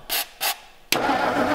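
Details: 1957 Meteor Rideau with 3-speed, first start after long storage on a jerrycan fuel feed: two short cranking bursts, then it catches and runs rough and uneven.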